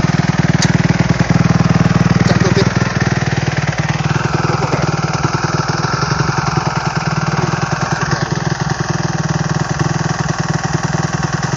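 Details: 2008 Kawasaki KX250F after overhaul: crisp, even single-cylinder beat at idle, picking up cleanly on two throttle blips and settling back; runs smooth and healthy.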